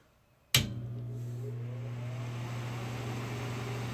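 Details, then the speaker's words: 1976 Miller Thunderbolt AC welder, copper windings, after dielectric grease was applied, recorded on a cell phone: switches on with a clean, steady low hum, no buzzing or rattling; transformer healthy. "that sounds great well like the grease does work no fire"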